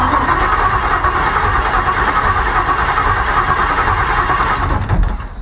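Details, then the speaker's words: Ford Maverick carb-to-EFI swap using junkyard parts, wiring just done: starter spins the engine at a steady even chug but it never catches, no fuel pump hum heard; cranks without starting. "oh we got that don't hear no fuel pump though that's what i'm trying to listen for"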